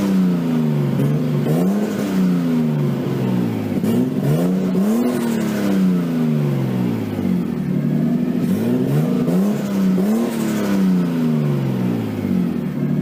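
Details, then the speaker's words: Nissan 240SX S13 with swapped RB20DET, first run after over a year sitting, once power was fed to the wire by the ECU and the crank angle sensor reinstalled: fast, even idle with occasional throttle blips, running smoothly. It was hard starting, possibly flooded during injector testing; idle is way too high. "so I finally got the thing to run it started it ran the Idol is hooked too high obviously but at least now have a driving car"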